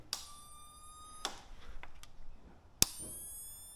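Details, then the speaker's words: ATV/quad won't start: three sharp clicks about a second apart with ringing tail and no cranking; battery shows 12.9 V but only 8.5 V reaches start solenoid when start pressed; bad start solenoid clicking without cranking. "here's a quick way to diagnose it with your Power Probe hook your Power Probe up here's power coming out of your battery to your start solenoid and you can see we have 12.9 volts when I hit the start button I'm only getting 8.5 volts so it's not putting full 12 13 volts across this start solenoid"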